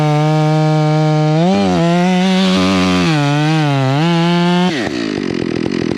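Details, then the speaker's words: Stihl MS461 with Westcoast Saws kit and Maxflow filter, still breaking in: the high whine sags under the cut, then blubbers unevenly as it unloads. It is running plenty rich and four-stroking. "I like it uh we can lean that in and make it a little bit zippier but uh she's running plenty Rich you can hear that four stroke"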